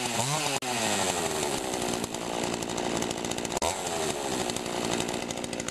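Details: Pioneer Partner P500 50cc chainsaw with an external choke, chain a bit dull. Strong, steady high-pitched two-stroke buzz that revs cleanly up and down without stumbling: normal running.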